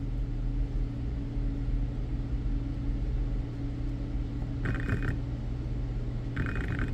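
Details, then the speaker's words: BMW E60 electric water pump bench tested, 12 V to pins 1 and 3, ground on pin 4: two brief buzzy bursts over steady low hum, motor trying but never spinning up; pump motor faulty. "so what I notice is this something's wrong with the motor because it won't start it'll it'll tempt now you have to watch them you can hear it"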